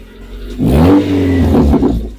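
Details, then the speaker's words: Raspy, puffing roar on a short rev blip, heard close to the exhaust leak; checked from underneath, where the leak point was found. "if your vehicle has a unusual noise like this it could be exhaust leak"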